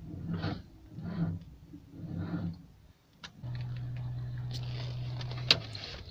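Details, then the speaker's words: Car engine whose frozen coolant was being thawed: three slow, labored cranking pulses then a low whir, never fires. Weak battery; after recharging it started instantly but stalled. "Сейчас подождем маленько, может аккумулятор оклемается, еще разочек попробуем, вдруг заведется. Ну давай попробуем. Блин, ну почти."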